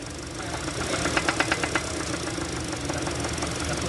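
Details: Hyundai Sonata DN8 G2.5 MPI petrol engine running: sharp metallic engine knocking, loudest in a quick burst then fading, before teardown to find the cause.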